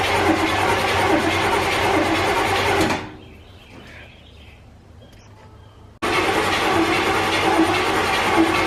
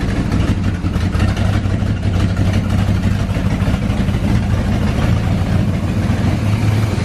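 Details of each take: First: 1984 GMC Sierra C25, 454 big block, sat 19 years: starter spins about three and a half turns a second, twice, with no catch; no fuel reaches the carburetor, and the old fuel pump, holding only old gas, is likely bad. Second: 1984 GMC Sierra C25, 454 big block, parked since 2003, after a new fuel pump and a swapped carburetor: deep, steady big-block rumble at an even idle with no knocks or stumbles; first run in almost 20 years, running smoothly.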